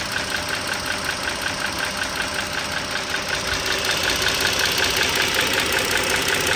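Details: 2009 Dodge Journey SXT V6 (3.5 L stated, title says 3.6 L) idling, mic close to the engine: a light, quick tick about 160 a minute over even running, valvetrain ticking. Owner suspects the rocker arm assembly, unconfirmed.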